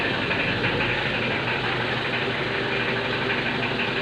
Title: very loud knocking sound on this L300